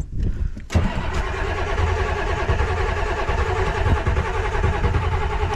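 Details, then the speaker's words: 7.3 IDI diesel: the starter spins it steadily for five seconds with even compression pulses, but it never catches because the injection pump was not hooked back up, so no fuel reaches it. "did I not hook the injection pump back up oh the sh underneath this pedal didn't hook the injection pump back up"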